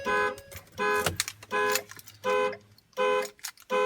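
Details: 3.5 L EcoBoost V6 at 0 °C, boosted with Motomaster Eliminator 1400 A pack: steady dash chimes about 80 per minute, no cranking or firing; jump-start fails. Owner suspects battery drained by 9 days sitting, dashcam, amplifier capacitor.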